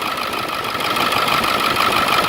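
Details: Ford Excursion 7.3 diesel after replacing the seized pulley/tensioner housing and frayed belt: even, steady idle with constant whirr, no squeal, slap or ticking from the belt; healthy.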